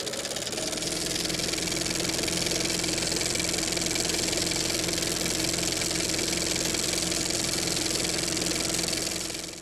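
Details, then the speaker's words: 1983 Honda GL1100 Goldwing Aspencade after reinstalling rebuilt carbs and replacing the starter: strong, steady cranking at about three and a half beats a second that never catches. No spark on the left side, right side fine. "So yeah, what it's doing is it just doesn't have any spark on the left side. It's fine on the right, but nothing on the left."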